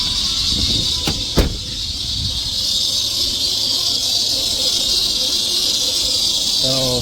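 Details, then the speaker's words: 1990 Chrysler New Yorker running after sitting abandoned. A loud, steady, piercing squeal that quiets when lubricant is sprayed on the belt, so the owner suspects a badly worn serpentine belt and has bought a new one. Serpentine belt squeal. "just a God awful Racket and uh kind of did some tests so if I just spray it spray it with a little lube it quiets up so I'm thinking it's just a belt I think this belt is just really far gone"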